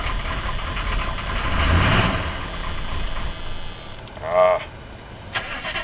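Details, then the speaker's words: 1983 Chevy Suburban Silverado with 6.2 diesel, started by dash glow-plug button after sitting a couple days: cranks and catches, then runs rough with a stumbling, ragged beat while building fuel pressure before settling; owner suspects fuel pressure, not confirmed. "She hasn't run in a couple days, so it probably needs to build a little fuel pressure up. It does have the the pressure back up, but as you can see, it takes a little doing, but it does get going."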